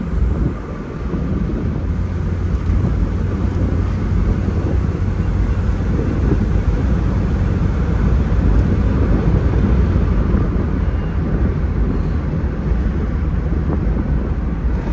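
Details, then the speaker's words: 1986 Opel Ascona convertible, 1.6 engine, three-speed gearbox, full-throttle acceleration with wind rushing past: deep roar builds steadily with no knocks or slips; smooth shifts dropping revs by at least 1000 rpm; pulls clean and healthy. "as trocas de marcha estão super macias super suaves né"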